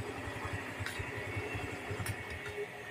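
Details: Barako motorcycle that had been passed on by another shop with no parts available and would not start despite ignition power; after removing the gasket, said to be the only fault, light steady single-cylinder idle with even low putter, no knock or miss; runs normally.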